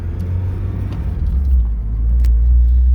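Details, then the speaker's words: 1983 Porsche 944, cold, driven gently with a fresh timing belt: steady low rumble building smoothly, no knocks, whine, vibration or shake; normal running. "there's no vibrations no shakes alignments dead on"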